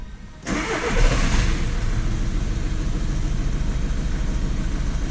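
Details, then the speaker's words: Diesel Skoda Octavia with code P0201 (injector circuit open, cylinder 1) after codes cleared: cranks, fires and settles into a rough, uneven idle as cylinder 1 misfires; code returns, faulty injector confirmed and replaced. "got the misfire let's go back over to the e-scan same code is back again so this obviously refers to the injector circuit"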